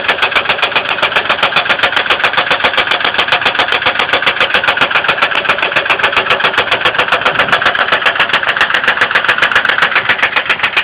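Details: 2002 Ford Windstar 3.8L at idle: sharp, evenly spaced ticking about four per second, cause unknown; oil level risen with light-brown milky-coffee oil spilling, appearing overnight after running fine, though coolant not significantly low.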